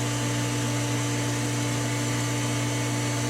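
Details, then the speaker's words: Pool pump running on recirculate before season-end closing, filter not yet backwashed: loud steady drone with a strong low hum and rushing noise; pump labouring, backwash needed. "Not a good sound, but it's time to backwash for the last time."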